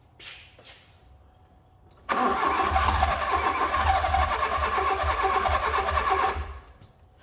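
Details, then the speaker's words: Fiat Punto GT long unstarted, good spark confirmed with plug tester; starter cranks steadily about four seconds with uneven puffs but never catches; owner suspects fuel; crank no start. "kind of want to start, but the noise light isn't flashing. It's trying to go, so it's probably just down to fuel then."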